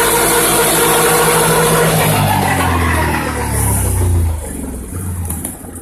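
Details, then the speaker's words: Whirring noise from a Can-Am with 100 miles, snorkeled, stock tires: a loud steady drivetrain whir that drops in pitch as it slows. The diff may have gone under 3–4 times and its fluid looked contaminated; changing the fluid made no difference. Owner suspects the rear diff. "suspect it might be the rear diff I don't know how that's possible but let me know if you guys have heard that before"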